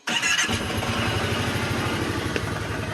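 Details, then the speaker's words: 2010 Kawasaki Teryx 750 after intake valve repair, cold start after sitting hours with cold exhaust: fires almost instantly and settles into even, steady V-twin idle; hard start and no-idle problem solved. "start, fired right up. Now touch the gas, nothing."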